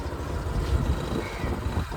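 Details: Suzuki Burgman 125 scooter idling after battery replacement, charging at 14.1 V; low steady rumble with no knocks or rattles: even, healthy idle.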